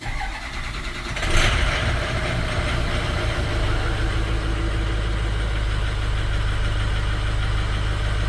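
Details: 2006 Ford 6.0L Powerstroke diesel, rough running and stalling after refuelling, first start after new fuel filter: loud catch then uneven lumpy cold idle; power balance shows cylinders 1 and 2 weak, injectors suspected.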